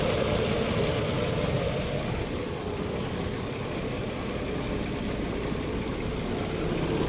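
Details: 2006 Nissan Xterra, 156k miles, hot engine idling at 750 rpm: dull, loosely regular knock about three per second low in the block, absent at 900 rpm and when cold; oil light after 30 minutes; bottom-end knock of unknown cause.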